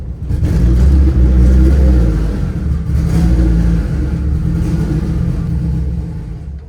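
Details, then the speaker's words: Honda Civic, freshly built four-cylinder LS VTEC turbo engine, valves just adjusted to spec, new injectors and plugs, won't idle with clutch in: revs then sags with lumpy beat, nearly dies, a cylinder dropping out. "Damn. Why would it be running on less than all four? I just did a valve adjustment."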